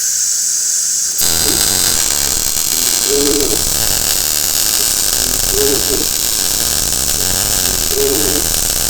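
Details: Blue Demon 140MSI MIG welder running a full bead, wire speed backed off below starting setting after wide open was too much: steady even frying crackle, no popping or sputter, normal well-matched arc.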